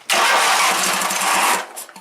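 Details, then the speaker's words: Wheel Horse GT-1800 Workhorse with 18 hp Briggs engine, carburetor problem: starter whirs over a second, engine barely catches with a few sputters then dies; it needs throttle and choke to run and stalls when throttled down. "it'll fire up, and then you gotta throw the throttle up, and then choke it. Then when you throttle it down, it dies out."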